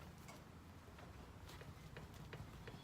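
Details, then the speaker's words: BMW R1150GS(A), rear wheel rocked with brake held and rider leaning forward: light, dry ticks about every 0.4 seconds; tick persisting with brake on points to worn swingarm pivot bearings, not final drive bearing. "can hear a small tick. Let me just make it closer. There you go. So as you can see, the problem is with the pivot bearings."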